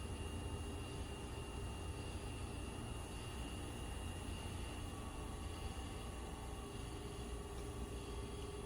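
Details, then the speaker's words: Homemade disc sander driven by a 2.2 kW/3 hp motor on a VFD, disc rated below 2800 rpm: even, steady hum and low rumble at constant speed, no wobble, knocking or grinding; running smoothly. "That sounds like a pretty good sweet spot right there. There we go."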